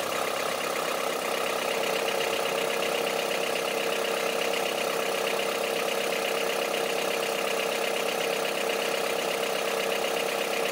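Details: Honda CR-V III 2.4 engine at steady idle with a hard, diesel-like clatter repeating evenly, roughly two to three knocks a second; knock at idle, cause not identified.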